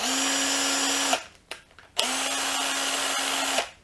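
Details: Erbauer impact driver motor after a teardown and clean; the hammer action had been locking up and had no grease. Two short unloaded runs with a smooth, steady tone and no heavy sparking or roughness. Normal free run.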